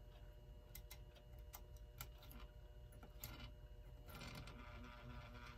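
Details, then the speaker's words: 1930s Continental Electric clock, first power-up before cleaning and lubrication: faint uneven rapid ticking and rattle, roughly three to four a second; noisy clock motor, hoped cleaning and lubricating will quiet it. "we got something going kind of noisy so there may be hope for this but that is one noisy"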